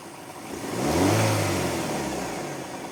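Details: Audi Q5 engine; swells through a quick rev and falls back with a rough, coarse edge to the tone; abnormal engine noise when revving, cause not pinned down.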